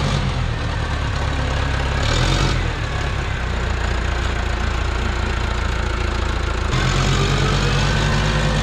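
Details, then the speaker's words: 1968 Case 580CK backhoe, 188D diesel, rebuilt after seizing; heavy, uneven chugging that won't rev up properly; spray tests showed the injectors firing from only one or two holes, so they need replacing; rough running from faulty injectors. "Well, it runs not very good. I will say that it really needs injectors really badly."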